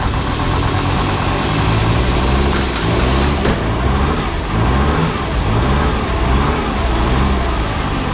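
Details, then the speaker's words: Jeep Grand Cherokee WJ 2.7 CRD (OM612) diesel, first start after full rebuild and new injectors: steady, even diesel clatter with smooth low rumble, no misses or knocks; healthy idle, slight black smoke believed from a sooty system. "It runs. It sounds good as well."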